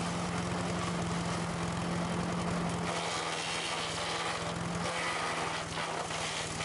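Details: Sears Craftsman 9HP chipper/shredder, over 30 years old and unused 5–6 years, just after its leaking carburetor was fixed and bench-tested. Started on choke at half throttle; an even, fast putter with a steady hum that holds speed. Carb no longer leaks; may need fine-tuning.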